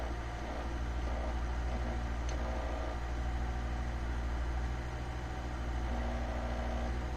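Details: Citroën BX at steady idle with a faint buzzy rattle coming and going; holding the clutch pedal changes the noise, so the vibration is traced to slack in the clutch pedal, found while checking an odd noise near the dashboard and cluster.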